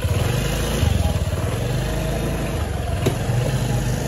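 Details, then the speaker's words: Honda Beat automatic scooter after repair of worn final-drive ratio gears: steady, even low putter with no whine or howl from the gearbox; normal final drive running. "ini sudah jadinya ya, ini sudah dibenerin ya. Dengar suaranya."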